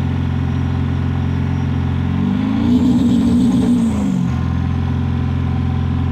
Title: 7.3 PowerStroke Misfiring And Blue Smoke Flooring It